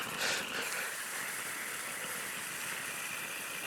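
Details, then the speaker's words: 1940s Clayton & Lambert gas blowtorch being lit. An uneven rushing roar with a louder surge, then a steady hiss, as it flares like a flamethrower; the flame then goes out. Possibly not enough gas or pressure. "I don't think it's supposed to look like a flamethrower."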